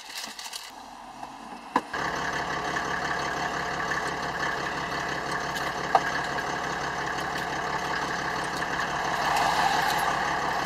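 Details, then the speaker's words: Land Rover Defender fitted with a 3.0-litre six-cylinder Mercedes-Benz OM606 diesel and an automatic conversion: catches, then settles to a steady, even diesel clatter with no misses or knocks; healthy idle. "if you're thinking that doesn't sound like a normal land rover you're right it's a three liter six cylinder mercedes benz"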